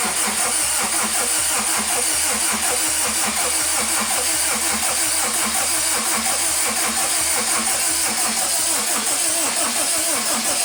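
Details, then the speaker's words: Honda Civic EM2 with a stock D17 engine, cranked with the injectors unplugged to prime oil pressure before first start. Fast, even starter cranking with steady pulses. Compression sounds good; healthy cranking compression. "all right this bad boy up sounds pretty good sounds like that's compression so we're gonna see what's up right now"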